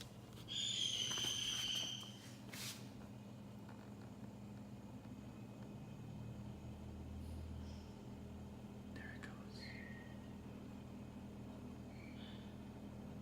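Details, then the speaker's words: Samsung RF267 refrigerator after freezer ice-buildup repair: brief clatter at start, then faint steady low hum as freezer fan blows cold air up to the ice maker; normal fan operation. "the freezer fan blows up the cold air shoots it up here to actually make ice for me and then we're able to use it"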